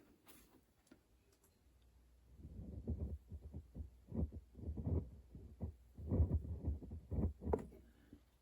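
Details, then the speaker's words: 1930s Majestic transformer radio powered up after at least 30 years unused, antenna not connected, line about 120 V: faint, uneven low throbbing with dull hum; set only partly working, cause not yet found. "Yeah, I don't know what we're hearing. I don't know if I do hear it in the speaker. I just I hear something."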